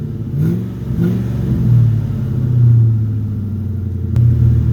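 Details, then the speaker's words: 2009 Ford F350 revving after fitting a new Flowmaster muffler: deep smooth revs rise and fall cleanly, muted, no rasp or rattle; exhaust sound and quieted a lot from before. "Yeah, this thing sounds a lot nicer now. Quieted it down a lot instead of being it was, well, you guys heard it before, it was pretty bad."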